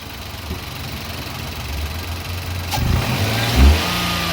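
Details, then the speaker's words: Nissan Micra three-cylinder petrol engine after misfire repair (old ignition coil refitted, fuel trims reset): idles with a low even rumble and revs smoothly on a light blip, no hanging or misfiring, no trouble codes. "Start करो गाड़ी आप देख सकते हो खा कोई hang नहीं है कोई मिसिंग नहीं है"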